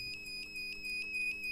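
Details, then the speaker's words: 1500W inverter after fitting four MOSFETs and two double diodes: a steady high-pitched beep sounds nonstop with no output voltage, signalling a short inside. A faulty H-bridge FET was found and replaced with an IRF740. "तो यहाँ पर आप देख सकते हैं, ये beep का sound आ रहा है यहाँ से अब, यानी इसके अंदर शॉर्ट है।"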